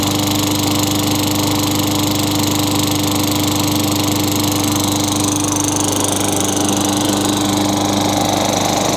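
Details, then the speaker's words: Craftsman 22-inch mower with Tecumseh 6 hp engine, after a new Champion RJ19 plug and reassembly: steady even run with a constant buzzing note, no misses or surging; healthy, no smoke or oil-burning smell. "sounds pretty good for being thrown away I think this engines gonna be alright I didn't see it smoking I didn't smell any oil burning"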